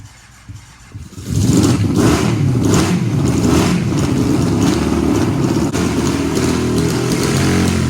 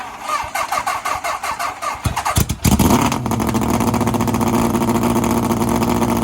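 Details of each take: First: 750cc half-scale NASCAR kart on a cold start with choke down after sitting for months. Once it catches it holds a steady, even, smooth fast idle with no misses or knocks; normal running. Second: 750cc half-scale NASCAR kart, cold start after sitting two months, stalled earlier, which the owner suspects was from turning off the chokes too early before warm-up; uneven cranking then a fast, steady idle.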